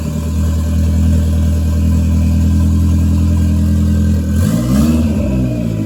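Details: Toyota MR2 with a 3SGTE Gen4 engine, just started, exhaust not yet fitted. Deep steady idle drone for four seconds, then a crisp blip climbs in pitch and settles. Healthy running.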